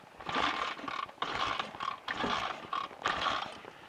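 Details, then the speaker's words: BSA A65 on a hot summer day with an electronic ignition (owner blames it) that failed after a worsening misfire; repeated kickstarts churn the engine over but it never catches, no spark, bike must be pushed home. "Nope, we're going nowhere. I'm going to push this home. There's your electronic ignition for you."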